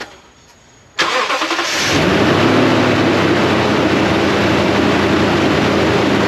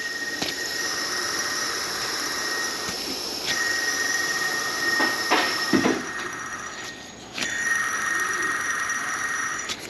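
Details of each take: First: 2012-ish Toyota Tundra after replacing the drive belt and both worn idler pulleys: cranks, catches and settles into a steady high cold idle that drops, with no belt squeak, rattle or grind. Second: 2012-ish Toyota Tundra with constant drive belt noise: removed old idler pulley spun by hand gives gritty hissing whir with thin whine, bearing worn out; new one silent; belt and both idlers replaced.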